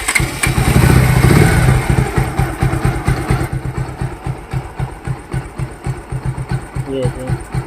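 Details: Bajaj bike engine after timing chain noise repair: steady even thump at about four beats a second, no ticking or chain rattle; the single idles smoothly.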